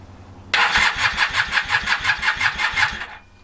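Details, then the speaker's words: Honda CB450 engine with 400 carbs, 400 CDI and 250 wiring loom, never run before, auxiliary fuel tank: steady rhythmic cranking, about three pulses a second for 2.5 seconds, never fires; later runs. "Not a lot of joy so far."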